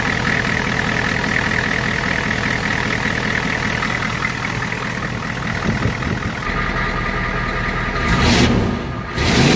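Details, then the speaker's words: 1993 IDI diesel after DIY injection pump fuel adjustment and bleeding air from the lines, microphone near exhaust: even diesel clatter at steady idle, no stumbling or misfire; runs well, quicker starting. "So I just ran the truck. It runs amazing."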